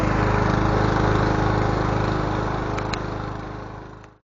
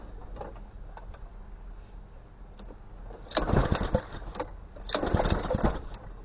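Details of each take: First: Honda GCV160 lawn mower engine after ignition coil replacement; the faulty coil was the cause. Runs with a quick, even beat and no misses, then shuts off: healthy running. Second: Honda GCV160 lawn mower engine, just after an ignition coil replacement. Six pull-start attempts about two seconds apart, each chugging briefly and dying without catching; hard starting, owner suspects a bad spark plug with no spark (unconfirmed).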